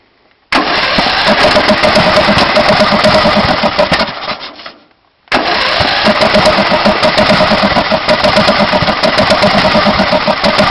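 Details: Briggs Intek 18.5 HP engine on a DYT4000 riding mower: catches and chugs roughly, three or four beats a second, sags and dies, then catches again; backfires through the carburetor and will not start, runs only a minute with starting fluid when cold.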